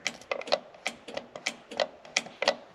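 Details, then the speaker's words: Normal horn relay clicking during electrical testing of a '64 Ford F100 restomod (6.0 L96 LS) with the engine off: crisp, dry clicks about three a second, some doubled, confirming correct wiring and ground. "the horn relay clicking so we know that that's wired correctly and must be grounded"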